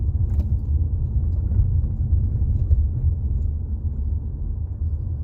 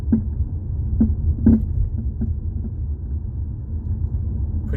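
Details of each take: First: 2018 Jeep Compass after front sway bar link replacement, mic near floor by driver's feet, driving over bumps and U-turn: only steady low road rumble, no clunks or rattles; earlier clunk gone, quiet suspension. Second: 2018 Jeep Compass driven over bumps, mic underneath near the floor: sharp knocks about once a second over road rumble; most likely worn front sway bar links (plastic with metal joints), not thought to be a ball joint.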